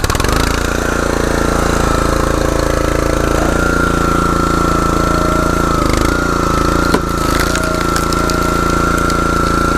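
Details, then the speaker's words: Troy-Bilt/MTD log splitter with Honda single-cylinder engine after replacing the worn LoveJoy pump coupler spider: steady, even running with a constant note, much quieter, no knocking. "but you can see the coupler was bad, and if you can tell the noise difference, it's definitely a lot quieter than what it used to be."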